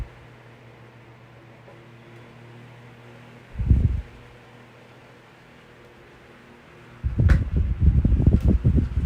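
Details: Vintage 1982-83 9-inch Galaxy fan after its motor was oiled. Even low hum with no rubbing or ticking, plus a few handling clunks; the motor slows slightly when oscillating to one side, less than before.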